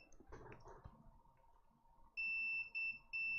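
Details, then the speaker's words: Water-damaged iPhone 6 Plus that was dropped in a toilet, tested with a multimeter in continuity mode with the probes on VCC main and ground. A steady high continuity beep confirms VCC main is shorted to ground; a damaged capacitor is suspected. "we do have a full a short on a full short on VCC so if I switch that over you should be able to hear that beep"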